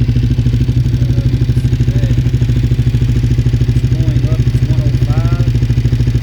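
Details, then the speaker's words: Motorcycle idling after its first oil change since purchase; steady thumping idle with only a light tappet tick, much quieter than with the old oil. Temperature climbing to about 104, showing the replaced engine temp sensor works. Normal idle. "The the engine, you can hear the tapets inside of the engine. They were a lot louder, but I guess it's because that oil that oil that was in there was old. Had been in there for a while, and now it's it's a lot quieter."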